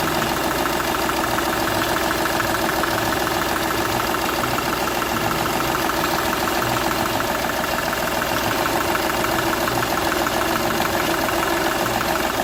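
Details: Seat Ibiza 1.2 TDI diesel idling with a sharp, regular ticking puff about three times a second over the clatter; first-cylinder compression escaping past a burned injector seal.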